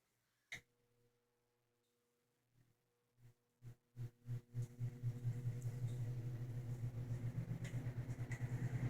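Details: 1960–61 GE W-15 variable-speed box fan run at full speed: spins up from rest with rising low hum and soft rhythmic whoosh, settling into a steady even run; sounds healthy.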